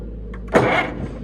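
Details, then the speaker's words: International Harvester tractor after rebuild, battery cables newly reconnected with better contact: low steady hum, then a sudden rough surge as the starter grabs and turns the engine over properly. "Oh! It's turning. That was actually unexpected."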